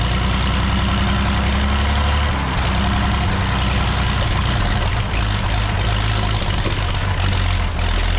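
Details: Old truck being revived, running after spark was restored to the plug and timing adjusted: low, loping beat at a fairly even pace that keeps running on its own without dying; normal running.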